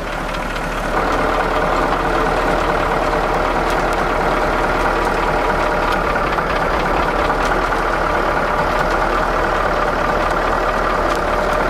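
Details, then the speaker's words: Diesel in Finnegan's ramp truck idling after an oil and fuel filter change: light, uneven ticking that goes away off idle; a weak injector was suspected, but it faded and was thought to be air in the fuel. "we had a injector that was sounding kind of weird at least that's what aaron diagnosed that ticking as um as it came off of idle any kind of rev that would go away so he said it sounds like a weak injector"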